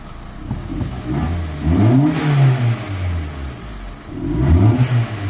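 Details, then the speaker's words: Toyota GLI 4A-FE, automatic, high fuel consumption complaint: revving climbs slowly and lazily, falling back heavily; feels low on power and slow to respond to the gas pedal, cause not found. "parang low power siya mga bossing. Hindi agad siya nagagalit pagka tinapakan mo yung gas pedal. Mabagal siyang umangat."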